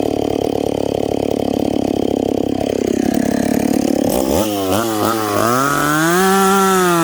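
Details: Stock, unpiped McCulloch Pro Mac 850 chainsaw cutting hard dried cottonwood before teardown: high steady scream holds through the cut, then revs up crisply and evenly when freed; strong, clean-running saw with good pull.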